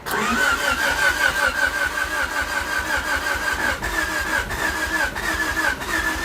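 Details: 1988 Honda Civic Wagon with fuel issues and a new distributor: the starter churns the engine over evenly at two to three beats a second but it never catches; crank, no start.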